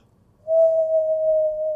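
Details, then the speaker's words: BMW E39 (Tesla swap) driving: steady clean whine over faint rumble, worse after replacing the propshaft center bearing with a new FAG one; owner suspects the bearing, not confirmed. "Before I replaced it, I had this noise on 40 km/h and it was annoying, and now it's even worse."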